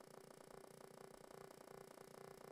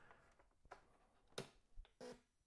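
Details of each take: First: Atari 800 home computer at power-on, no cartridge; quiet, fast, purring buzz pulses evenly for about two and a half seconds then stops, the normal expected startup sound. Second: Atari 800 switched on with no cartridge, which should boot to Memo Pad: only a brief quick chirp instead of the normal boot sound; the owner suspects a bad POKEY chip behind a non-working SIO port.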